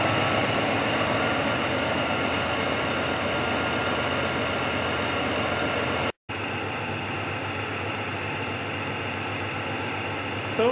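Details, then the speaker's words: 1967 Pontiac ambulance V8 idling: rough hissy puffing about four times a second from an exhaust leak; otherwise running well, stalled a couple times at idle. "tonight it's pretty good can hear the engine running pretty good there is obviously an exhaust leak"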